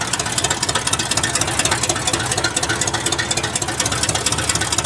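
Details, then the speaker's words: 1978 GMC K25 after first start in years, idling with one header connected and one disconnected: loud raw idle with sharp hissy chuffing pulses on every firing; exhaust leak from the open header. "also part of the reason why this thing sounds like a dying tractor is it has one header hooked up and one not so"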